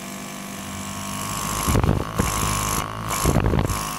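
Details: Ungar Hot VAC Model 4000 whose pump previously would not run, after refurbishing: steady buzzing hum after switch-on with a couple of brief clattering bumps; pump now runs and produces suction.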